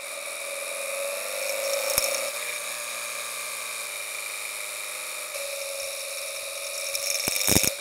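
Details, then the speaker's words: Knock sensor audio under load with ignition timing advanced two more degrees beyond knock threshold: steady high whine with sharp crackling bursts; heavy detonation from over-advanced timing. "let's add two more degrees pray for my engine and let's hear what really really really bad knock sounds like"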